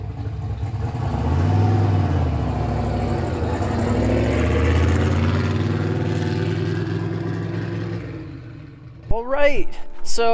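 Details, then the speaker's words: Ford Fox Body Mustang with newly finished turbo kit install, idling after alternator refit; no belt squeal. Deep, steady idle with an even burble, no knocks or rattles: normal healthy idle. "The belt's not winding at me. I'm happy. And it sounds crazy. It sounds insane. Yeah, that sounds good."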